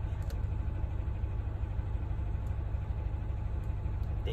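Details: Engine shaking with check engine light on, before DIY replacement of ignition coil and spark plug: low uneven loping idle that stumbles now and then; misfire, suspected from the old ignition coil.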